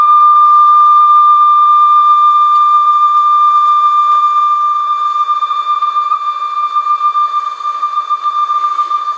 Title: CONION CRC-H 84 #2 ,After replacing the belt, and lubrication , Checking tape speed and detonation.